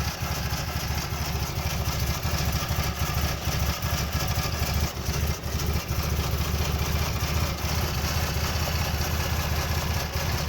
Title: 1994 Fj80 rough idle